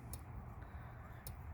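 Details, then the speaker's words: Parmak Mark 5 electric fence charger from estate sale, cleaned and plugged in: crisp evenly spaced clicks a little over a second apart over quiet background; charger pulsing normally. "and it's working just like it's supposed to. You can hear it clicking."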